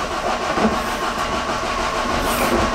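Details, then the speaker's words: Dacia Duster 2 Phase 2 driving after the rattling tailgate trim panel was removed: steady road and drivetrain rumble with no rattle from the rear hatch. "keine klappere mehr"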